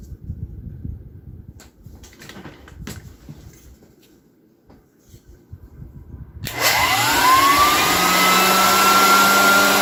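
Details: 1923 GE Premier Junior vacuum cleaner motor after restoration with a new cord and grease-packed bearings: it spins up with a rising whine and settles into a steady, even hum. Normal motor run.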